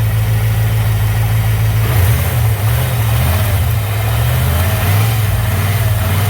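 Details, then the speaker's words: Camaro engine with low oil pressure, at idle and revved: a heavy rumble with a dull knock underneath. Rod knock that worsens when hot, plus piston slap that fades once warm; engine to be removed for overhaul. "there is a definite knock there it does have some what's called piston slap too uh that goes away as it gets warmed up and then the rod knock takes over even more once this thing's hot it's very very prevalent"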